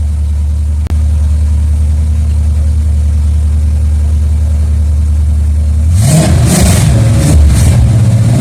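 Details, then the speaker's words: 1976 Olds 455 big block with TH400 in a 1984 Blazer/Suburban hybrid, run after sitting 155 days: smooth idle, then revs surge unevenly and sag instead of climbing cleanly; stumbles on revving, owner suspects the fuel pump quit under throttle. "well that was disappointing the fuel pump quit working soon as I gave it some gas it just went all right so we won't mess with it anymore"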